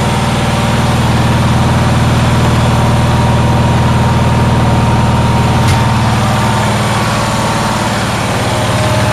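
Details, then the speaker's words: Onan generator engine, running after a low fuel-pump cranking voltage was found; loud steady low drone with a fast, even firing beat that holds without dipping, idling far too high, cause unknown. "uh but i'm having another issue it is idling very very high"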